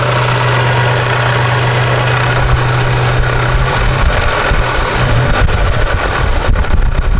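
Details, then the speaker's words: Toyota 4Runner idling after flex plate replacement: a steady hum with a light, irregular metallic rattle from the front of the engine. It is suspected to be the timing-belt-driven water pump, which is why removing the accessory belts had no effect. "well guys I think I found the actual source of this problem I think it is the water pump after all"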